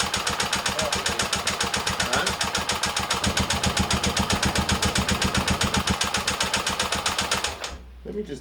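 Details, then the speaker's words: Rebuilt Honda XL250 single-cylinder, cases not split during rebuild: even idle beat near four per second with a hard metallic tap each stroke; piston contacting a valve. "should have split the cases because it ended up having problems and you'll hear it when it runs later"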